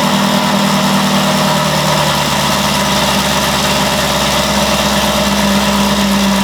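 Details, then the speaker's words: Camaro V8, fresh cold start: strong even idle with steady low burble, no knocks, ticks or misses; running cleanly. "so i figured since the car's back we'll throw it in a video of a fresh cold startup so let's see what it sounds like"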